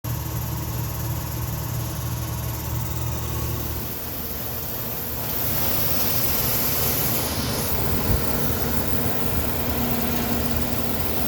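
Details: Old (about 1978) A/C system, GE Genteq 5KCP39HG blower motor: steady drone with faint repeating clicking, persisting after debris cleaning and bolt tightening; owner suspects bearings; replacement motor fixed the noise.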